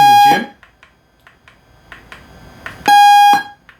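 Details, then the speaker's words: Thai kickboxing gym timer clock with LM386 amplifier, after fix with bypassed pins, grounded capacitor and bigger boxed speaker: two loud steady high beeps about half a second long, clean and undistorted, much louder than before; normal buzzer. "now we're using a bigger speaker i've made a little box for it and as you can hear it is much louder"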